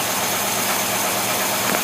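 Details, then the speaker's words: Rochester Quadrajet marine carburetor bench-tested on a running engine: steady, even note, accelerating smoothly with no stumble or misfire; mixture about 12 to one, runs healthy. "now you see that mixture is about 12 to one showing you the thing accelerates nice and smooth"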